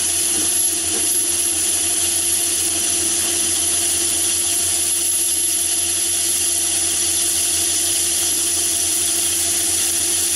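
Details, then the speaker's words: Myford ML7 lathe fitted with the 100 mm (four-inch) chuck, deep cut: steady, even hiss of the cut with a faint high whistle and no rattle or squeal; an excellent finish with no chatter. "and no vibration at all so it's producing an excellent finish even at that"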